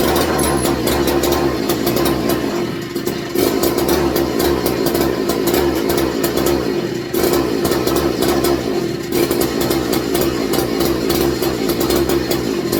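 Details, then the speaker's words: McCulloch MC49 two-stroke, first run in over 40 years on a substitute 090 carburetor, fuel mixture turned out rich: revs buzz and sag unevenly, poor throttle response; owner suspects ignition or a cheap spark plug, unconfirmed. "oh sounds like ignition related that was a cheap plug I got"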